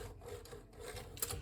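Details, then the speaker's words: Hermes 3000 typewriter carriage pushed along giving a rough, scraping grinding sound on one side and failing to move to the end, from a carriage not seated correctly on its rails, before reinstallation. "The carriage seems to make grinding sounds, and that's never good."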